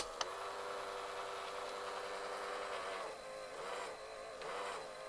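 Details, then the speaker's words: AIWA TP-724 portable open reel tape recorder on 12 V bench power during repair: even, quiet motor whir, reels winding steadily with lots of torque, no drag or slipping. Normal fast forward. "let's hit rewind s working lots of torque fast forward"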